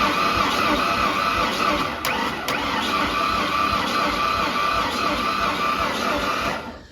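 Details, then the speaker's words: 1992 Ford F150 with about 288,000 km and a blown motor, sat a year and a half, cranked with all spark plugs out; uneven turning rhythm with one lighter, faster beat each turn; owner suspects no compression on the passenger side. "so we still hear that kind of miss in one of the cylinders where it goes a little bit easier to turn over."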